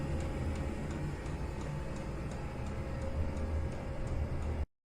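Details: Chinese diesel heater in a garage, its exhaust feeding a homemade heat exchanger that heats a radiator: light, regular fuel-pump ticks every few tenths of a second over a steady low hum; normal fuel pump ticking.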